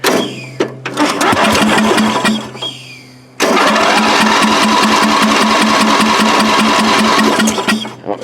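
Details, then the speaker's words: Free riding mower engine, flooded (gas tank drained, fuel line off), cranks, catches, then runs rough and uneven before settling as it burns off excess fuel; throttle then turned down. Rough running after flooding. "so we're just going to turn it over and see if it'll pop and crack and burn off all the excess gas that's currently in it from it being flooded"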